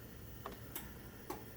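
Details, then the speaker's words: Genie 1035 chain-drive opener on a 4x3'6" Midland door with its safety sensors knocked out of line, sensor light flashing: faint isolated clicks and no motor run; the opener just sits and clicks instead of running because of sensor misalignment. "so what's kind of interesting about this operator when you knock the uh sensors out of line see that one's flashing now um that the machine just sits there and clicks instead of actually running"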